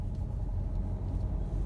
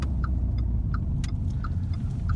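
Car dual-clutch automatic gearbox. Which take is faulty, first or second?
first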